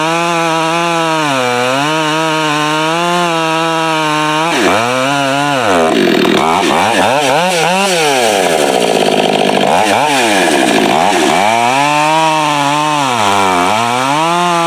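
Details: Husqvarna 572 build (562 with popup piston, no base gasket, muffler mod, torque-oriented tune, ~182 psi, breaking in) cutting firewood with 28-inch bar, 8-pin sprocket, new safety chain: full-rev scream then pitch sags and wavers; lugging from oversized drive sprocket.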